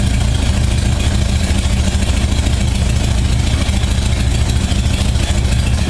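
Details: 1978 Honda Goldwing, cold start at about 52°F after carburetor synchronization, choke on: deep even idle pulse around 600 rpm, no misses or knocks; carbs sound well balanced, settles quickly.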